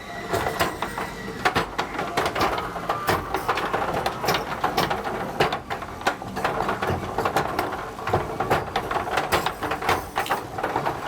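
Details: Richman Corp Set-Shot Basketball vintage two-player arcade game, repaired after its glass was smashed, running during play: clatter of balls and quick irregular ratcheting score clicks over a light whir from the high-speed centre spinner. Normal running.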